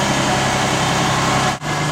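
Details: 2001 Ford E250 4.2 petrol engine after replacing a fuel injector that was not squirting, which had caused a misfire and rough running: steady, even idle with a smooth low hum and no missed beats.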